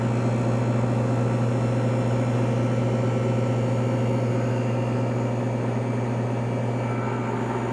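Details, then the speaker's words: 1966 Admiral Royal 106 air conditioner, restored, running with compressor on: constant, even low hum; the unit is getting warm and the owner feels something is wrong. The evaporator cools only partway, likely low on refrigerant charge. "I know it does get warm but with regular operation but I can't help but feel like something's wrong like I said that humming noise"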